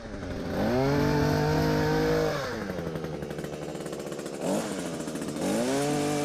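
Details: Small two-stroke hedge trimmer after repacking its nearly empty gearbox with grease: idles, revs twice, then a clean steady buzz with the earlier metal-on-metal grinding gone.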